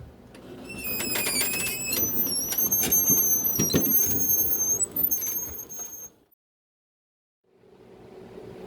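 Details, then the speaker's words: Husqvarna lawn tractor with a V-twin engine: high, thin squeaks and chirps as the front wheel turns. A dry, failing front wheel bearing; the front wheels ran scalding hot after mowing. "so the last time i mowed i could hear the front bearing squealing over the sound of the engine and the sound of the blade"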